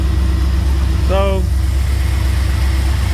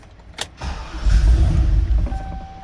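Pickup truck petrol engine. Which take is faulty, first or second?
second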